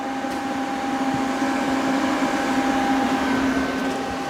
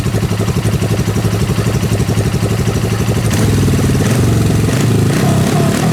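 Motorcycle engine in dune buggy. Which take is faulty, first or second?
first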